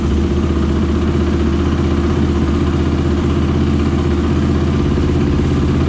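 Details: Rebuilt Honda TRX450ER with a Yoshimura exhaust on first start, carburetor O-rings leaking gas: a loud, ragged, stumbling single-cylinder idle. The exhaust glowed red quickly at idle; owner suspects improper carburetor jetting.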